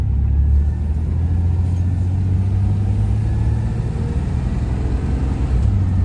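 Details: 1994 Chevrolet S10 Blazer 4.3 V6 on first drive after intake rebuild, timing set: smooth, even low drone pulling cleanly under acceleration, no knocks, ticks or whine; healthy engine.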